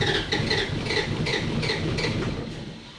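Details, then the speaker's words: Mk1 Ford Cortina with 1UZ-FE 4.0 litre Toyota V8 swap and W58 gearbox, cranking over with even chugging pulses about three a second; almost wants to start but never catches; cause not confirmed. "that's all get out of it mate it almost wants to go almost yeah it almost wants to start almost"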